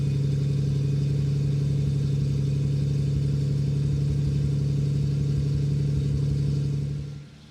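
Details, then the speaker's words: Restored 1973 Jaguar E-Type Series 3 V12, about 1,000 miles since restoration, unstarted for a week, cold: steady even low hum at raised idle, no misses or tapping until cut off. "So what we'll do is I'll get Aidan to photograph the exhaust, and we'll start it up from cold. Actually, this car hasn't been started for, what, a week or something like that?"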